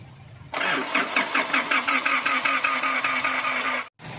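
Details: Isuzu D-Max diesel, crank no-start: starter spins the engine at an even two or three compressions a second but it never fires; fuel rail pressure only about 8 MPa during cranking, too low to start.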